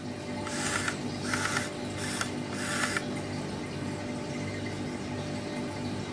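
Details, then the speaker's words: Used white Sony PSP 1000 with working battery, at power-on: three short whirring grinds about a second apart then faint ticking as the UMD drive, which the owner assumes is the laser head, moves; cause unclear. "So you can hear that. It is doing something when you first switch it on."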